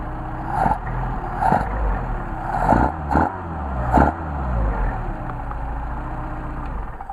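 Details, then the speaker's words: Mercedes 190SL with tested Solex carburetors, warm engine hot restart after linkage adjustment; catches quickly and settles to a steady, even idle with a few light blips, carburetors running clean. "nice to have a hot start the hot restart"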